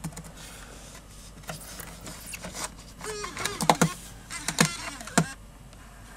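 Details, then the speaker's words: 2009 MacBook slot-loading optical drive taking in a CD: short burst of whirring and sharp clattering clicks that sounds like it is eating the disc; loud but normal slot-loader mechanism noise. "that always gives you a fright especially if you didn't know what it was doing when you heard that sound where these machines were new still does give me a fright to this day it sounds like it's eating the CD"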